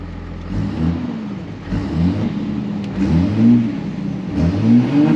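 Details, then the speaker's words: 2005 Ram 2500 diesel after replacing the FASS lift pump and fuel lines: revs up and settles back several times with smooth, even pitch swings, no knocks or misses, good oil pressure; normal running. "sounds good all right oil pressure looking good yeah I think we're getting there"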